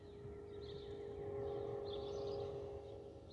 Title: Delta Airlines Airbus A319-114 N330NB DL720 SYR-DTW (FOPP whistling sound)